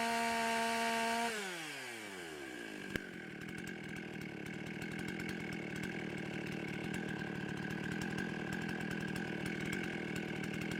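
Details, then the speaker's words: Husqvarna 55 chainsaw after the carburetor gasket air leak was repaired and the saw retuned, warmed up: winds down cleanly from about 13,000 rpm to a steady, even idle, high jet at full rich; normal running. "all right i like the rpms they're sitting uh right at about 13. um sounded if anything it might be just a touch high but it's all the way at maximum richness on the high jet without pulling the plugs"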